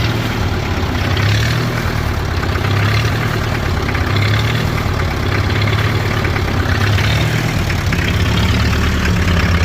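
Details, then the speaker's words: International Harvester B275 diesel tractor idling cold after its fuel system was bled: the idle rises and sags in slow, uneven surges every second or two, seeming to improve as it warms. Owner suspects the diaphragm. "but basically if you can still hear it it's kind of hunting still um so that's been the issue that I've been fighting it seems like it gets better the more it warms up"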